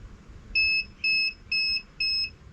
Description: Firstly, the inverter wasn't happy